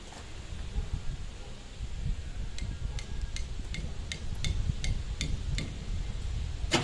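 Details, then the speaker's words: 1990 Camaro RS, first start attempt after sitting 12–13 years with new fuel pump and sending unit: long cranking with sporadic sharp pops, never running; firing order wrong from swapped plug wires (3 and 5), later corrected. "dude the hell don't sound good I don't know if I can do this"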